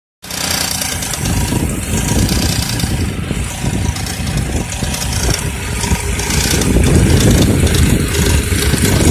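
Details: Engine running low on oil, at low revs: loose metallic rattle over the idle, louder between 1000 and 2000 rpm.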